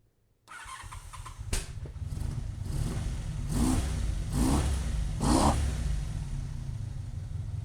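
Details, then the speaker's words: 1985 Honda VF700F V4, hot engine after carb rebuild and new pulse generators: steady idle with quick throttle blips, revs drop straight back to even idle without hanging up; mixture seems neither lean nor rich. "good idle comes right back down so I don't think it's lean I don't think it's rich"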